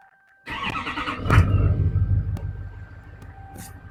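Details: 2007 Chevy Silverado 2500HD LBZ Duramax after new Fleece heads, Mahle head gaskets and DHD head studs: starter catches at once, big diesel clatter settles into steady even idle without misses; no coolant pressure, smoke or fluid loss, runs healthy.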